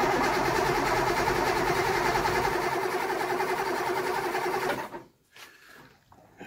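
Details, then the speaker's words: 1964 Triumph 2000 barn find fitted with a 2.5-litre engine, run off a jump pack with only a little gravity-fed fuel and no fuel poured into the carb bowls: cranks steadily at about 3.5 turns/s for five seconds, never fires. Fuel starvation is suspected. "So yeah, we've just got a little gravity feed fuel coming in. We haven't put any in the bowls or nothing, so let's have a little looksky, eh?"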